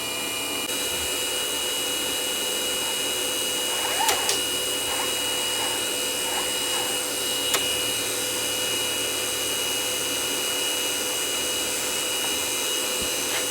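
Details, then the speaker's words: Sony DNW-A30P Betacam SX deck damaged in shipping, playing tape: constant loud whirring hiss with a thin high whine from the head drum area; owner suspects the slip rings were knocked out of place by an impact; abnormal drum noise. "h I don't think that thing's supposed to be making that kind of Racket wonder what's under this cover should just be slip rings but the amount of noise they're making just doesn't sound right"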